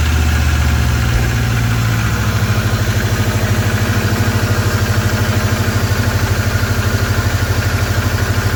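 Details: 23-year-old Subaru boxer idling after water pump replacement while checking for coolant leaks: steady, even low idle with a smooth regular pulse and no ticking, knocking or whine; healthy idle.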